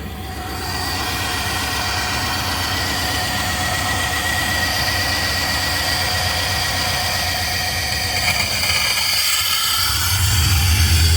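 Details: Chevrolet Suburban V8 with a Flowmaster exhaust, warming up, no compression on cylinder 4 (oily plug), Sea Foam being run through it: uneven, loping idle with a steady stumble from the dead cylinder.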